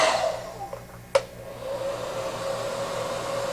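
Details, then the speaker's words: Prototype quiet hair dryer made in Hong Kong, running on high at the same airflow as a whining turbo-type dryer. After a click, a steady low airy rush with a mild mid tone and no shrill whine. "here is a much lower frequency, not so bothersome. Keep in mind, these are both generating the same amount of airflow."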